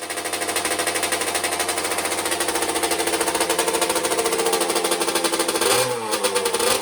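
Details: 1982 Suzuki RM60 two-stroke dirt bike started on second kick after carb cleaning (pilot jet) and fresh fuel: fast rattly buzz surging unevenly and stumbling near the end, won't hold steady revs; running lean, carb later cleaned again.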